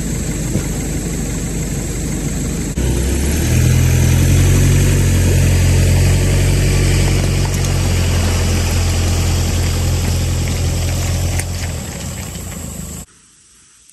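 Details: Brand-new Hangkai 6.5 hp four-stroke outboard, bought on eBay, pushing a 10 ft jon boat after the over-high idle screw was backed out: steady low drone, brief rise in revs, then a smooth constant pull; started easily, ran well in all gears, healthy under load.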